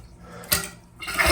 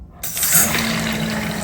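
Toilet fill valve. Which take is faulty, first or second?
second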